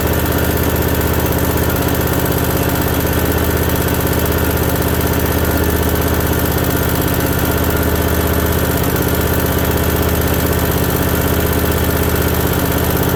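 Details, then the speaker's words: Briggs & Stratton Vanguard V-twin with an oil cooler just installed, on its first run: a smooth, even drone at steady speed with regular firing and no knock, miss or rattle. It sounds healthy. "All right, she sounds real healthy, eh?"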